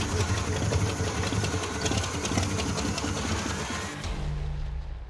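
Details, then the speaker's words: Rough-running Trans Am V8 with a loose, uneven clatter over the exhaust, a crunch felt through the floorboards on one downstroke, smoke puffing out and battery dying: rod knock. "it doesn't seem happy it's like you can feel in the like the floorboards that there's some crunch on one of the downstrokes"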